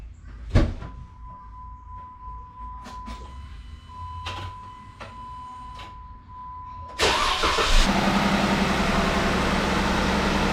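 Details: 2017 Jeep Wrangler 3.6L Pentastar, 46,000 miles, which had ticking on the driver's side. After rocker arm and lifter replacement, a warning chime sounds, then a short crank and a steady, even idle with no ticking; a normal start.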